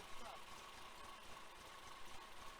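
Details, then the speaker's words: 1966 VW Type 3 Fastback, freshly rebuilt larger flat-four, stock carbs, cam break-in run: quiet fairly even idle with faint steady hum and no knocking; sounds healthy, carbs still need tuning. "sounds good does sound good sounds good definitely got a little bit of tuning left on the carbs"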